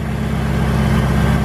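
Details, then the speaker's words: Ford GT-40 V8 in a Ski Nautique boat, cold start at about 70 degrees ambient during an IAC valve test: steady low burble with even firing and no knocks or misses, idle gradually coming down. "it's going actually up slowly that means it's building a well and we can hear the idle actually coming down"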